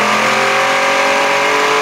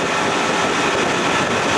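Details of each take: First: 1992 Johnson 60 hp outboard, first water run, idle was cool and smooth: revs rise as throttle opens, then drop back, with a strange light tinny noise each time the throttle is hit; cause unclear. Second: 1992 Johnson 60 hp outboard, first water run after restoration, around 19 mph cruise: smooth, steady roar with water and wind rush, no misses or surging; running healthy and cool.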